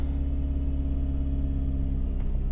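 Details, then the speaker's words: 2003 Toyota RAV4 petrol engine just after start-up, idling steadily but too fast at about 2000 rpm; it still sits above 1000 rpm after five minutes, and the owner suspects the idle air control valve. High idle. "you can see as soon as i start up the car it's gonna be pretty high idle it actually almost sounds like a tractor so you can see it's revving right now about 2000 rpm"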